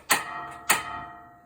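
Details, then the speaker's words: RV propane stove during pre-season system checks: two sharp igniter clicks with metallic ring as the burner struggles to light while dead propane and air purge from the lines; later burners light quickly. "see how it took a little while to purge the the dead propane air out of it then once it's one of them's lit I turned the other one on and those usually go pretty quick"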